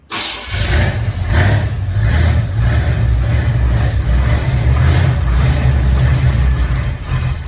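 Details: Car after loose parts fixed, wheels balanced, timing set and fluids topped off: engine cranks and catches quickly, settles into a steady low rumble with a couple of light revs; runs healthy.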